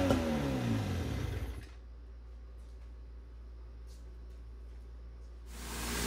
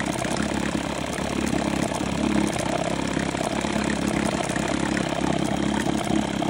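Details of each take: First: 1972 Johnson 6R-72D 6 hp two-stroke outboard, gas/two-stroke oil mix sprayed into the carb: rough, busy burst of running for about 1.5 seconds, then cuts out; fires on the primed fuel. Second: 1972 Johnson 6R-72D 6 hp outboard running: faint, irregular click-click ticking over engine buzz that comes and goes; owner suspects a cracked coil arcing to the flywheel.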